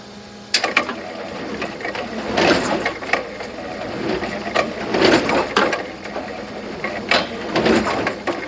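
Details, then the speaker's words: Brunswick GSX pinsetter sweep wagon after oiling pivot points with spout oiler, running the sweep: soft clunks and light rattles, no squeak or squeal left; squeak was just a dry pivot point, now operating normally. "everything looks really good no more squeaky so it was just a pivot point huh good to know you guys"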